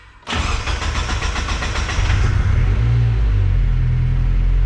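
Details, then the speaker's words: Turbocharged car started after the problem was fixed: catches promptly after a short crank, then revs smoothly with a steady, even low rumble and audible turbo, no misses or knocks; sounds great. "sounds great i hear turbo do you think man sounds pretty good"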